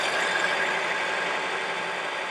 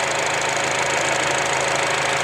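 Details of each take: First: 2004 Acura with 2.4 i-VTEC DOHC, 248,000 miles, check engine light and misfire codes P0301–P0304, suddenly shaking badly at idle: steady but loping uneven beat about four per second; dead-cylinder misfire. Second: 2004 Acura 2.4 i-VTEC DOHC after fixing misfire codes P0301-P0304; even regular firing pulses, no misses or stumbles, smooth water test; normal idle after repair.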